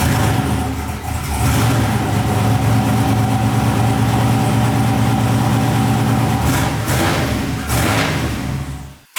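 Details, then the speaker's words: Freshly built 6.0 LQ9 turbo V8 in a Silverado street truck, Holley Terminator, first startups: wavering rumble that dips and surges before cutting out; idle sometimes won't hold, owner suspects idle air control valve or a dead cylinder. "The only issue I'm having is sometimes it doesn't really want to idle. Other times it'll idle fine."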